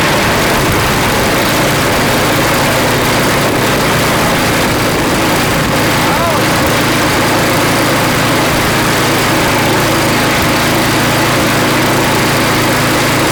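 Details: Customer's snow blower after cleaning and reassembly with a replaced seat: small single-cylinder engine holds a steady, even run throughout with no misses or surging; sounds healthy.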